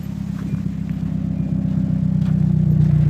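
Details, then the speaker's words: Hyundai Accent automatic: low steady idle putter, about four pulses a second, even and slowly firming up with no knocks or misses; doesn't sound that bad. "Idling. It don't sound that bad."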